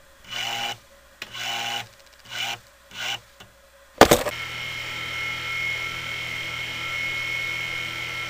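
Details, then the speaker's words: 1980s Black & Decker heater motor converted to a fan on a light dimmer, heavy metal blade: steady high thin whine holding even; owner thinks the motor needs oiling again. "it's a whiny motor sounds like I need to oil that motor again"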